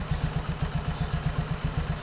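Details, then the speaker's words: Suzuki Skydrive scooter, kick-started and idling right after fitting a new air filter: small even thumps about eight per second, steady in pitch, no misses or rattles; idle unchanged from before, healthy and stable. "Nah, kayak gini setelah pemasangan, stationernya nggak ada yang berubah,"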